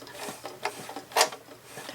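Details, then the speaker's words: White 999 sewing machine, about 40 years old, hand wheel turned slowly while oiling: dry, uneven clicks and scrapes instead of a smooth whir; suspected bobbin-area problem, dry mechanism lacking lubrication. "that noise I don't love I think something's going on in the bobin area so we'll take a look at that too but it's running"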